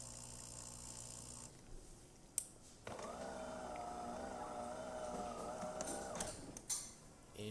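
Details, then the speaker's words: DeLonghi Magnifica XS after service for brew unit jamming (broken mechanic valve replaced); rinse cycle after switching off once cooled, purging old coffee: steady even pump hum for about three seconds, then a clean cutoff, normal. "And then we are going to turn it off, which should start a rinsing cycle once it cools off. There you go. And it's just purging that old coffee"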